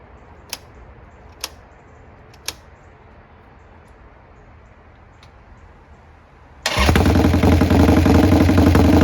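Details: Restored 1990 Harley-Davidson Sportster 883 Evo, first start after restoration and fixing a fuel leak: a few clicks, then it catches into a loud, steady, lumpy V-twin idle; sounds healthy.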